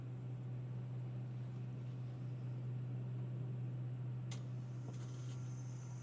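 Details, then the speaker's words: Subaru Forester at idle after replacing a failed, loud Valeo A/C compressor: new compressor runs with a steady low hum, no knocking, rattle or grinding; quiet compared to the old one. "And we got our new compressor running. Quiet as can be compared to the old one."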